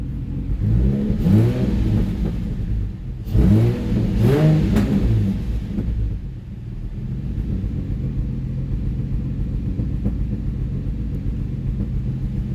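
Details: Nissan 350Z after cylinder 4 misfire code, coils swapped and spark plug replaced: two quick revs then steady even idle, no miss; misfire fixed, cause was the spark plug; still smoky from burning oil.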